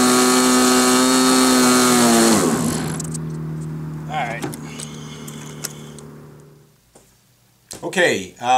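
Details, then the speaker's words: SIG Kadet LT-40 RC aircraft glow engine during first break-in run, mostly run at full throttle: screaming buzz sags and drops in pitch, then settles into a lower uneven burble; mixture too rich, a friend agreed. "realized that uh what was going on um was it was too rich"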